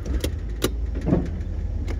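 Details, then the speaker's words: 1968 Ford Galaxie XL convertible, 390 4V with C6, first start after getting it home, reversing: loud irregular clunks and pops over a low rumble from the front end; ball joints or A-arm bushings suspected, unconfirmed. "making a lot of racket hear that sounds like we got some ball joints or a-arm bushings or something popping"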